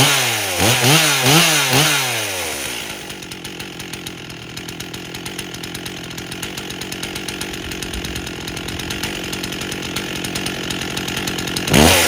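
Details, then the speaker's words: 1998 Stihl 044 Magnum chainsaw, freshly fully rebuilt, first test run with 25-inch bar and oversized clutch (spec 2700 rpm idle, 14,000 max); quick hesitant throttle blips then buzzy high idle, bogging on throttle; suspected slightly too rich under load, not confirmed. "notice how it seems to be bogging a little bit when I throttle so it's not responding great there's a chance it might be getting a little bit too rich on the load yet"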